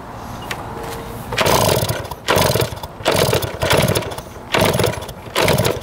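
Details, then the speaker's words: 1971 Yamaha JT1 mini enduro two-stroke, stored about 30 years, with spark, fuel and 133 psi compression confirmed: ragged bursts that catch and die about once a second, because the exhaust was clogged with mouse droppings or poison. "that is nasty it was clogged the exhaust with a bunch of mouse turds our poison it looks like"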